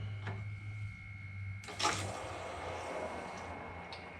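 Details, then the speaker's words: Hot water heater annual service, main supply valve off, drain valve opened with a hose attached: sudden rush of water settling into a steady hiss as the tank drains freely. "And you can probably hear that flowing like crazy."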